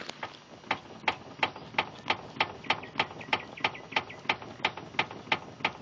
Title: Стук рулевой рейки на Фабии 1.4 2013г. 95к пробег